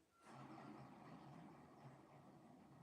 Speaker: that bearing's just not in the most awesome shape we're going to be taking care of that